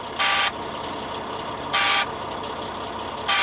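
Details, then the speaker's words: Leroy, a heavy-duty truck with an intermittent no-throttle and no-shift fault, just started: harsh buzzer bursts about every 1.5 s over a quiet idle. It is the low air pressure alarm, meant to stop at 60 psi; the transmission low air supply light should clear at 90 psi. "he's done with his war dance and then he has alarms because the air pressure is low"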